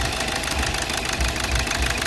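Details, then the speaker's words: 2012 Hyundai Verna Fluidic at idle; rough uneven idle with heavy knock and engine shake, cylinder 3 dead with no change when disconnected, injector circuit open fault, low injector voltage from ECM suspected; dead cylinder misfire. "ਜਿਹੜਾ ਤਿੰਨ number ਸਲਡਰ ਇਹ ਕੰਮ ਨਹੀਂ ਕਰਦਾ ਕੋਈ ਫਰਕ ਨਹੀਂ ਪੈਂਦਾ ਮਾਸਾ ਵੀ ਫਰਕ ਨਹੀਂ ਪੈਂਦਾ ਗੱਡੀ ਨੂੰ"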